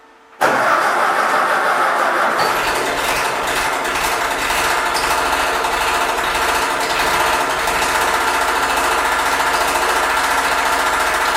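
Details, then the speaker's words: Freshly rebuilt Ford tractor at first start: catches and settles to fast idle with hissing, scraping rasp; fan hitting the shroud and a belt squeaking. "um when i was starting it up uh two issues presented themself right off the bat you can kind of hear both of them in the the video um the fan was hitting"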